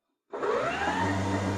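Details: 1983 EZGO golf cart converted to a 48V Navitas 5kW 600A AC drive, powered on with key on after loose on/off switch connections were fixed: a click, then a smooth whine climbing into an even hum. Sounds healthy.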